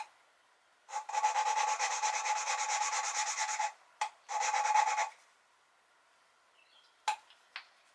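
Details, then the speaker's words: 1973 Triumph TR6 engine head rebuild after new valve guides pressed in, valve hand-lapped with compound and suction-cup tool; gritty back-and-forth rasping in bursts with short pauses, sound changing as seat laps in: valve lapping. "you pull up and down just to kind of reset the Lube and you can hear as you go it kind of the sound changes as it does its thing"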